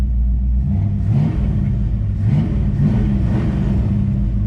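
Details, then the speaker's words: 1965 Ford Fairlane 500, 57-year-old 289 V8 with new Holley Street Warrior 600 CFM electric-choke carburetor, after a drive, given a few light "baby revs": deep even burble climbing cleanly and settling smoothly; healthy V8 light revving. "For being 57 years old, she still runs good. Let's give her a few baby revs for you."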